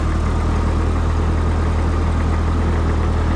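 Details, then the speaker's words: Old vehicle on a cold start after sitting all winter since last fall, battery left in: steady low idle with even firing pulses and no knocks, misses or rattles. Smooth, normal idle. "pretty smooth our old girl needs some cosmetic work wouldn't take much"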